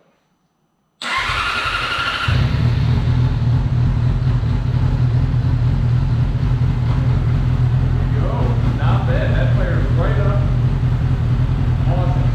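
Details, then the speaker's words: 2008 Yamaha R6 after replacing a mouse-chewed wiring harness, fuel pump primed, fuel a couple years old; short crank then a steady, even idle with no knocks or misses; normal start and idle. "this motor sounds really nice i'm super happy with this"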